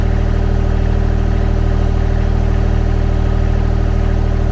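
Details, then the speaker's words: Kymron XTL30 mini skid steer, brand-new Kubota D1105 diesel at 8.1 hours, during an oil change service, revved up: steady, even drone at raised rpm, firing smooth and regular with no knocks, ticks or whine; normal running. "And so that's what I want to hear, especially out of a brand new Kubota diesel motor. Bring the RPMs up, very smooth."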